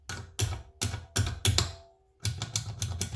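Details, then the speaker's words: Sharp, crisp clicks two or three a second as a Scamp switch, held in a vice, is worked free. Carpet jammed underneath had stopped it pressing; it now clicks normally and needs a bit of WD-40. "I've just put this in the vice now, got some vice grips on it, and I just started to move it. And it's just come up. You can hear it clicking."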